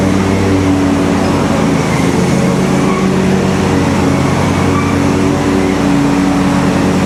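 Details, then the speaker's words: Simplicity Stallion zero-turn's Kohler twin with new muffler installed: loud, steady, even drone with no misses; runs great, RPMs maybe a hair low, slight whooshing heard, leak-down planned to check for blown head gasket from back pressure. "Does sound like the RPMs are maybe just a hair low, but other than that, it runs just great."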